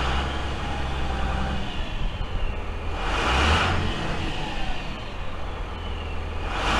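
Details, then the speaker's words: Freightliner FL70 diesel with a new Donaldson exhaust (4-inch pipe off the turbo), gray smoke clearing once warm: the rumble swells twice under throttle with an airy rush on each rev. Quiet, even Dodge-pickup-like note; normal revving. "if you were to turn around and not look at the truck and hear it idling it would sound just like a dodge pickup or you would think it was a dodge pickup"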